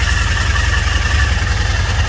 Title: teryx 800 clutch issues? wet clutch? listen to the screeching sound.